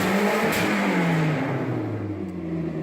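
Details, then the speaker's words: Toyota Celica ST162 running after its melted timing belt was replaced, exhaust still needing repair: deep, loud note rising and settling as it is revved; exhaust far louder than it should be. "is pretty damn loud so yeah yeah that's where we are right now"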